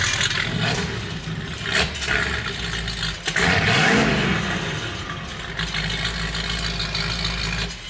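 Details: 1971 Datsun 240Z "Rotsun" turbo car, started after work on the oil leak and turbo smoking; oil pressure is present. It catches and revs up and down with a deep, even note and no knocking, though some wet oil still comes from the exhaust pipe.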